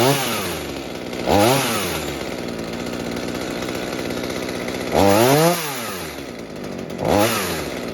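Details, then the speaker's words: Mini two-stroke chainsaw saved from scrap, being fixed for a fuel leak, after carburetor adjustment (low side opened, too-rich high side turned down): steady idle, three clean revs dropping back without bogging; normal running. "Okay, that sounds quite good now, except of course that the change makes very..."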